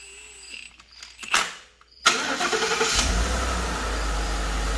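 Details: Rebuilt Ford F-150 after a belt-drive part was replaced: the engine cranks, catches and settles into a smooth, even idle with no chirp or rattle from the belt drive.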